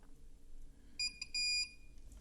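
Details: Laptop onboard power button switch after an improvised contact fix: two sharp, high continuity beeps as the contact is pressed, showing the switch now closes properly.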